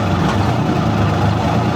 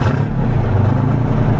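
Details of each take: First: 1973 International Transstar 4300, 12V71 Detroit diesel sat since 1986, after fuel return flow check: deep idle then revving, fairly even with no clear miss; owners suspected injectors, but cylinder temps were within 10°, maybe air in the fuel. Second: 1973 International Transstar 4300 with a 12V71 Detroit diesel, sitting since 1986, revived: the engine revs cleanly to its 2100 rpm governed speed, a deep steady roar with no misses or knocks. Alternator charging, tach working, running issue believed fixed.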